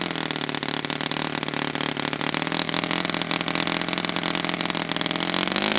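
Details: Brand-new customer Saito FA-100T twin glow engine on test stand, first break-in run: steady high-speed drone with soft, burbly edge; intentionally rich, oil dripping from exhaust, not lean. Normal rich break-in run.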